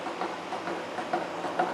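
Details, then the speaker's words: Face mill cutting a new steam chest valve yoke for a 1917 Vulcan Iron Works narrow-gauge steam locomotive, about 0.050 in depth: steady mid-pitched cutting hiss with soft insert ticks about every half second, one cutter doing most of the work; cutting cleanly. "it appears to be cutting really good"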